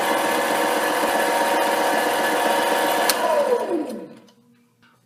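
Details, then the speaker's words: HiTorque 5100 7x16 mini lathe facing likely cold-rolled steel at higher speed with a shallower cut: a steady, even spindle hum with no chatter, then the motor winds down; a smooth facing cut. "that's not too bad. Um, it's actually feels quite smooth. So, just to show that you can do this with steel."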